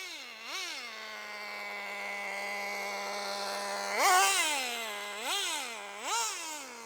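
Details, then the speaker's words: Team Associated RC10GT nitro car, warmed up; steady idle then quick free revs that drop straight back, slipper clutch still slipping after adjustment and being tightened further. "it shouldn't rev like that okay so we've still got slip on the old slipper clutch"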